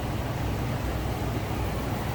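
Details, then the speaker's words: 2006 Ford Econoline E-450 flatbed, 6.8L V10, automatic with overdrive, idling with the hood open: deep, steady, unbroken rumble with no knocks or misfires; smooth runner, sounds healthy. "There's a look at the engine bay. Smooth runner, sounds good. Getting that 6.8 liter underneath the hood."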